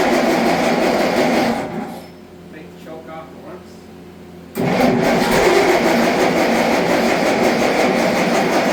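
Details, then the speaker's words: Allis-Chalmers D19 tractor that sat about 20 years: the engine runs, fades out for about three seconds, then catches and roars again but won't keep running; a fuel issue is suspected. "Okay. Well, you got her to run. She doesn't want to stay right. So, is it a fuel issue?"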